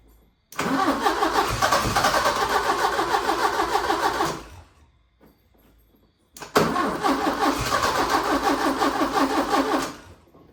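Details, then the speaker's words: 1980 Porsche 924 Turbo, new fuel filter, run on starting fluid, fuel pump buzzing unconfirmed: two long cranking bursts with pops and brief firing that never settles. Won't run; owner suspects it is not getting fuel. "But yeah, I mean, it's a start. It wants to fire, but I just think it's not getting fuel. I think it's just firing off starting fluid right now"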